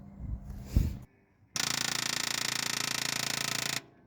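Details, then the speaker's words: 1962 Buick Skylark with factory 215 all-aluminum V8 and four-barrel, off the road for years; key on, the electric fuel pump buzzes steadily for about two seconds then stops, priming and working normally. "The electric fuel pump works. You should probably cut that before uh it tries to pump any fuel."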